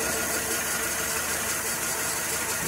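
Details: Audi A3 1.6 BSE petrol engine idling with an uneven, stumbling pulse: a constant misfire because the cylinder 1 injector gets no controlled ground, due to high resistance from a corroded wire. Repairing the wire fixed it.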